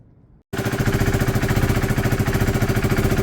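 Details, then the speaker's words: Freshly refitted original exhaust on a KTM motorcycle, gum sealant curing, battery weak: started after a minute and fires up into a smooth, even idle with a steady chuff, no hiss or puffing at the exhaust joint; sealed, normal idle. "I just cranked it, I just gave it a minute and cranked it and it fired up."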